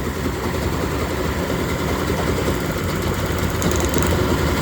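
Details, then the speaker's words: Cold, choked 3-cylinder Yamaha 30hp two-stroke outboard running rough, all compressions 110, plug-lead drop test: revs drop when a lead is pulled, it sparks, and revs pick back up once reconnected, so that cylinder fires and carries its share. "so you can hear that drop down I can hear it sparking as soon as I plug it on it's going to rev back up a little bit"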